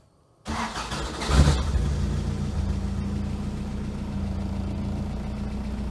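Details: Toyota prerunner truck, bought as a non-runner, started after new body, motor and frame ground straps were added: it catches after a short crank and settles into a steady, even low idle with no misses or knocks.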